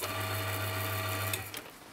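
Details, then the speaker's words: Silca Super Special semi-auto key machine after retensioning belts by moving the motor in its elongated mounting holes: steady low hum, clean even tone, no flapping, then spin-down; belts vibrate less, normal belt drive running. "all right let's plug it in and see how uh how the belts move now [Applause] we have power okay they're not vibrating as much that seems good"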